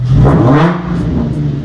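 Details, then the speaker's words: Drift-car Z V6 after correcting two backwards-wired ignition coils, now firing on all six cylinders: engine blips up in a clean rising note and drops back to a smooth, even run with no stumble or miss, normal revving. "it actually had two ignition coils wired backwards so it was running on four cylinders this is what it sounds like running on all"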